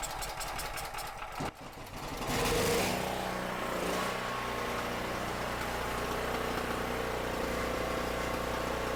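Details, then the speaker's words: Cheap used generator, 38 hours on it, powering a drill press and lamp at 120 V: steady even drone under load, running clean and smooth; owner thinks a clogged petcock was the only issue. "Works perfect. Light works. Well, it looks like the thing works perfectly."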